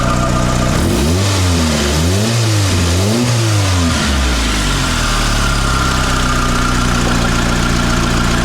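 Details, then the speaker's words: Mitsubishi Lancer CE two-door coupe after repairs: three quick throttle blips rise and fall cleanly, then a steady, even idle; fast idle settles down, sounding much better. Normal idle and revving. "okay that sounds much much better that's what the other one used to do fast Auto and then it settles back down"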